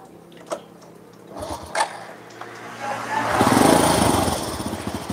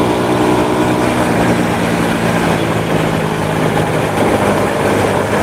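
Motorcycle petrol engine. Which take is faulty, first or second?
first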